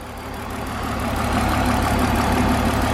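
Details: BMW E46 323ci, driven and then at idle with the hood open: an uneven, lumpy idle with about four stumbles a second, a misfire. Owner plans new spark plugs to see if they clear it. A coolant hiss was noticed after shutdown.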